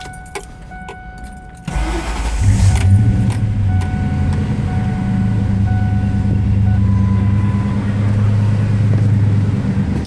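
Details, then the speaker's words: 1997 Ford F-250 4x4 4.6L V8, 5-speed, oil changed every 3000 miles with full synthetic, cold start: short crank, then a deep, even rumble, not excessively loud, with some audible ticking and no knocks, misses, smoke or leaks; normal cold start and idle. "does not have a tachometer as you can hear them tix it's also not excessively loud however it does have a nice Rumble no smoke no leaks"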